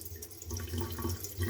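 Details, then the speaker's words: Gas water heater after replacing the worn kitchen tap valve cartridge: water runs gently with a low steady hum, the whistle and rattling gone. "мы видим свист пропал холодного вода течет колонка не дребезжит"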